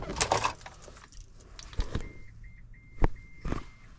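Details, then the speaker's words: 2024 Cadillac LYRIQ power liftgate: button press gives only broken high chime beeps and no motor whir, liftgate won't open; then shows service power rear gate message after a module setup. "Just beeps. And this does nothing."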